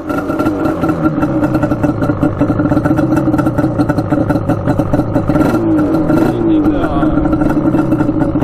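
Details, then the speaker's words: Yamaha Banshee twin two-stroke, baffles out, no air filter, choke held by a zip tie: starts on the first kick with a crisp, even ring-ding crackle that holds steady and picks up cleanly. Runs well tuned. "Let's see if it starts up here. Oh boy. Oh, first kick. Dialed in."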